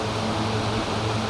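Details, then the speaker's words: Family 18-inch five-blade fan with large motor, after repair for slow/no start, on speed 3: steady even hum with airy rush, no rattle or wobble; very strong, working normally. "โอ้โหพลังที่สุดๆเลยนะเนี่ยแรงมากนะครับกินมาตีFamilyตัวนี้นะนี่ก็โอเคนะตำรับการซ่อมนะครับใช้งานได้ปกติแล้วนะครับ"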